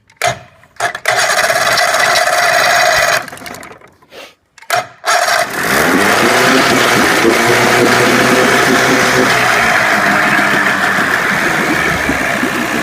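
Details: 25 hp Johnson tiller outboard on a Fisher 1448 jon boat, cold, unrun about four weeks, starter just rebuilt, electric start with choke pulled: several cranking bursts with pauses, then catches and settles into a steady, even two-stroke idle; normal cold start.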